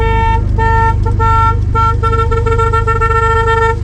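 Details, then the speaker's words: 1979 Pontiac Firebird, V6 idling, revived after years of sitting: several sharp, clear honks over the idle, each steady in pitch; the horn works and sounds strong and healthy. "Ready? The freaking horn works!"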